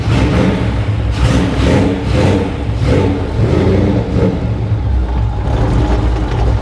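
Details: 1955 Chevy Nomad with blown 350, TKX 5-speed, Ford 9-inch 4.10 rear, charging, 60 psi oil pressure, running rich, ridden hard last year: deep uneven idle with lumpy pulses and dropped beats, a miss; cause unconfirmed, rattling also heard.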